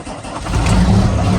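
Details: Truck diesel, about a year after a full engine rebuild (alternator and parts new), chilly start after pre-trip: catches quickly and settles into a strong, even low rumble, no knocks or misfires. Healthy engine start.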